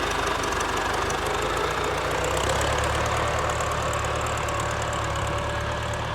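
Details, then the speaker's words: Warm Ford 4040 industrial diesel tractor after four rebuilt injectors fitted: steady, even clatter with a firm low rumble, no stumbles or surges; no haze warm, a little black smoke under load; normal warm running. "really doesn't haze any once it's warmed up just got a little black when you get down on it or put it under a load so seems to be running really good warm"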